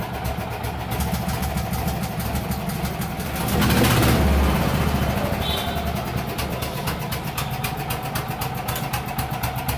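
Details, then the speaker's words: Yamaha 5 kW generator, first start: engine catches and settles into a steady, even single-cylinder beat with no misses or knocks; running normally. "আমি first time start দিচ্ছি। এই হলো generator start হয়ে গিয়েছে।"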